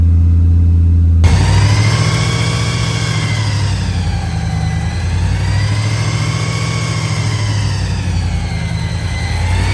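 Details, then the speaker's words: 383 small-block Chevy V8 with blower, cam break-in running 20 minutes at 2,000 rpm before idle adjustment: steady fast-idle rumble with faint blower whir rising and falling gently, even firing, no knocks. Sounds healthy. "so now we're running it for 20 minutes at 2,000 RPMs and then we'll mess with the idle a little bit more but at least that cam would be broken in right and uh she sounds healthy"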